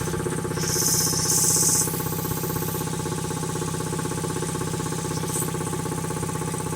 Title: Quincy QT5 QT-5 first run after rebuild